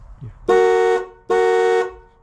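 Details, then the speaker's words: 1996 Chevy dually pickup, 454 gas V8: horn relay swapped into the fuel pump relay socket as a test gives two clean half-second reedy honks; relay is good, so the fuel pump is suspected bad. "All right, so here's the horn relay. I'm going to just just for hahas plug it in and see if the horn works."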